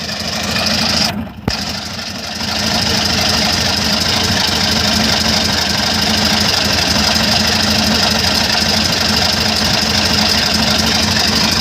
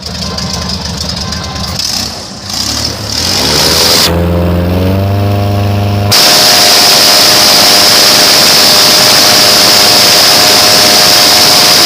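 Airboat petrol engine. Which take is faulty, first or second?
first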